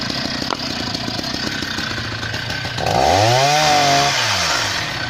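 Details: Husqvarna 480 CD chainsaw on its first tank after a full rebuild with new OEM piston and cylinder; crisp two-stroke buzz climbs smoothly to full revs in the cut and drops back cleanly, no misfire or bogging. Normal running.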